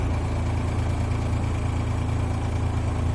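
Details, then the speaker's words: Trailer air conditioner/heat pump on high after condenser fan blades were cut for balance; heavy low drone with uneven rattle. The condenser fan is out of balance and misaligned ("out of diagonal"), clattering against its shroud; its shaft is crusty. "it's still making fair amount of clatter all right so I think it's gonna need a little more balance"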